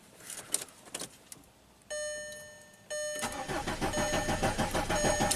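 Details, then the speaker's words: 2005 VW Passat TDI diesel, under 200k miles, crank no-start after a cylinder head and camshaft swap: clicks, a chime, then steady starter cranking about three pulses a second that never catches; low-side fuel pressure holds 12 PSI during cranking. "So I'm just going to crank it for a little bit. Pressure doesn't drop."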